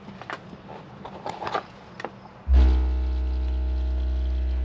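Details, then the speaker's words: 6th-generation Ford Bronco with aftermarket Kicker amplifiers, speakers and subwoofer, playing a test tone around 60–63 Hz: deep steady bass sets off a buzzy, tinny rattle on top; a loose seat belt vibrating at that frequency. "don't know what it is oh it's this it's that it's a seat belt that's stupid so now that I know that that seat belt rattle is there I can potentially block that that frequency off with my low pass filter"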